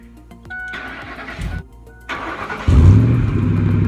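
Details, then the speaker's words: Ford Expedition after welding up an exhaust leak where the muffler had been cut off and a glass pack fitted: cranks, fires and revs to a deep, smooth steady note with no ticking or puffing; exhaust now sealed and sounds much better. "all right guys so as you can tell in here the exhaust sounds so much better"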